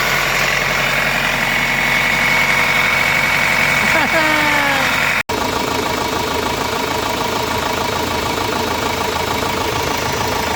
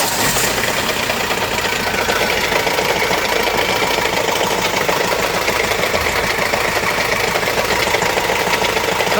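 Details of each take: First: Renault Master diesel, gear-and-timing-belt engine, after timing belt replaced and engine turned over: steady, even diesel clatter at idle with no knocks or misses, running smooth and healthy. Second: Renault Master diesel with gear-driven lower timing and belt-driven upper timing, towed in: busy, uneven metallic rattle from deep inside the engine, caused by damaged timing gears rather than a failed belt.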